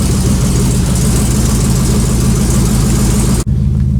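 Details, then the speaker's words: 1956 Buick V8 with a small stage one Summit cam, first cold start after sitting, in park: deep steady idle with a slight rhythmic lope from the mild cam, otherwise even and healthy; an initial noise on startup goes away. Normal cold idle with mild cam lope. "it's got a little baby can in it it's uh I forgot the specs on it but it's a it's a stage one Summit cam pretty small but it has a nice little loaf to it especially when it's"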